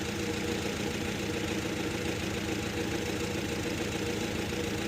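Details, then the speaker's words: 2011 Nissan Frontier 2.5 petrol, code P0300, idling: uneven stumbling beat, about two dips a second; lab scope shows cylinder 3 missing, coils under intake, compression and injectors checked first. "Like we got one, three, two, four. Three is missing. Still shorted."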